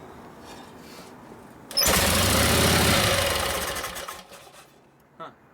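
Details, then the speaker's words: 1952 Harley panhead FL bobber with rebuilt Linkert carb, kick-started at 3/4 choke: catches and runs loud about two seconds, then dies on its own; fuel supply or volume issue suspected despite cleaned tanks. "Did you shut it off or shut itself off? I didn't shut it off."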